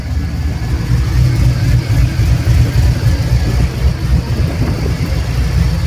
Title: exhaust leak? #automobile